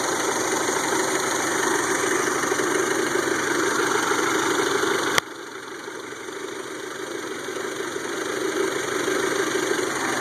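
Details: 1992 Toyota Camry 4-cylinder with rebuilt engine: thin, uneven stumbling idle with a sudden dip midway.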